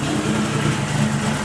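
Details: Nissan 180SX drift car just after plugs were cleaned and fuel pressure lowered from 50 to 40: uneven, lumpy idle with a wavering low rumble that never settles, close to stalling; rough idle.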